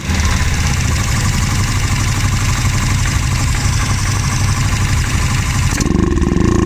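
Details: Access Motor AX700 ATV: uneven, stumbling engine beat with irregular pulses; misfire and hesitation from a clogged injector, fuel pump issues and a clogged fuel filter.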